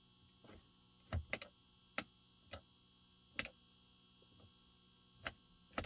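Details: 1999 Mercedes C43 W202, no-start: quiet cabin with scattered sharp ticks and chime bursts, no cranking or running; EIS (ignition switch) issue suspected, not confirmed.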